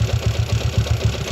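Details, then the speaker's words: Yamaha Jupiter MX motorcycle: rough, lumpy idle with heavy rhythmic clatter about six times a second; a transmission gear catches, and the teardown found the roughness in the transmission. "Ya ini yang ternyata penyebabnya ee mesinnya itu kasar di bagian ee transmisi dan selahnya"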